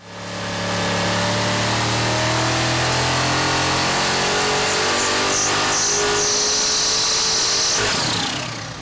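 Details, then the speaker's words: Built 427 Chevy small block with a third-generation Vortech supercharger kit on the dyno: a hard high-rpm pull, then a thin high squeal near 6,200 rpm at just under 5.5 psi boost. The blower belt slips despite tightening the tensioner, and power falls off. "One issue we did have, and you may have heard it on the previous dyno run, is that no matter how much we tried to tighten the tensioner, we started developing blower belt slip right around 6,200 RPM."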